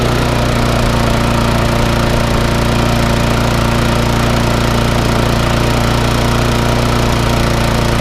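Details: Briggs & Stratton 3.5 engine swapped onto a mower and freshly serviced, running at a steady, even speed with a constant firing beat and no misses or knocks; sounds healthy.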